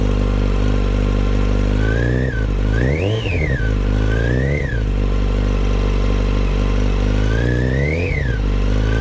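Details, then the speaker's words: 2008 Yamaha FZ1 with throttle blips: thin whine over the idle that climbs and falls with revs, suggesting a spinning part; much louder at the clutch cover than crank and cam chain areas; cause unconfirmed. "okay so it was much louder on the clutch cover than it was in the crank area and also in the km drive with the timing chain and the cams I did hear it in this area"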